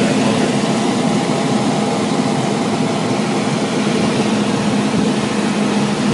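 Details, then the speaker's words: HVAC blower after repair: a 3/8 bolt had fallen into the condensation pan and stressed the belt; smooth even air rush, low hum, slight wobble, belt tension good, much quieter, normal. "Much quieter. That's a little wobbly, but the tension's good."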